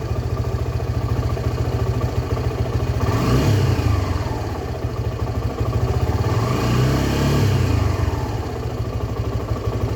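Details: Suzuki Gixxer SF 250 single-cylinder after an engine oil flush and new oil and filter: smooth idle with two clean rev blips rising and falling evenly, no rattles or knocks; healthy.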